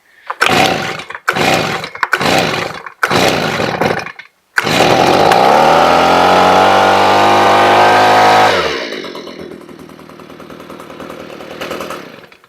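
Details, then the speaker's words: Stihl BG85 handheld leaf blower, reported no-start: several short pulls, catches, revs a few seconds and sags away; barely fills primer bulb, fuel starvation suspected from dirty carburetor, which is to be cleaned. "I'm not well, now I'm pulling fuel. That's kind of cool. But it's barely filling up the bulb at all. Alright, tell you what, let's just clean this carburetor out."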